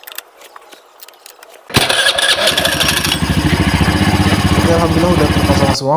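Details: Honda Vario 110 FI scooter after CVT service (cleaned, rollers, spring spacer, worn CVT bearing temporarily shimmed): starter catches quickly, then steady even idle putter with no knocks or rattles: normal start and idle.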